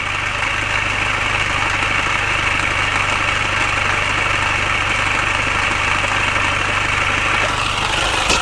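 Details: Mini Cooper R53 at steady idle: light, fast, uneven metallic rattle over the engine note. Timing chain tensioner, chain guides and PCV valve already replaced without curing it; source still unknown.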